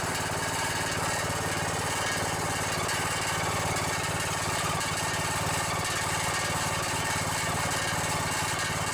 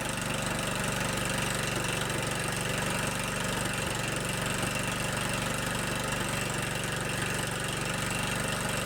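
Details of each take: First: Riding mower with a Briggs & Stratton single-cylinder OHV engine: a steady run with a fast, tinny buzzing rattle over the exhaust note from a loose muffler; engine otherwise sounds good. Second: 15 hp Kohler Command engine on a Scotts lawn tractor, started on a cold morning, now idling with a steady, even thump around four beats a second, no misses or knocks; runs pretty good after clearing out.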